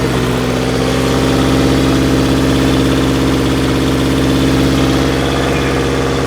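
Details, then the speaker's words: Subaru Forester held near 2000 rpm, first thought a minor exhaust leak: rough rapid repeating beat over the running note, seemingly from the left side, no exhaust felt and no check engine light; valve or timing problem suspected, not confirmed. "boy, it sounds like a clogged muffler or clogged catalytic converter, but as you can see, it's clearly not. I'm almost wondering if we may have a valve problem or something, possibly timing, but we don't have any check engine light."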